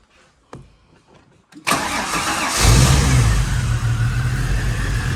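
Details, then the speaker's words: Holden VY Calais L67 drift car, injectors unplugged one by one: starter whirr then lumpy uneven idle; unplugging cylinder 3 makes no difference, others do; dead cylinder 3. "5 makes a difference. 3 makes no difference. And 1 makes a difference."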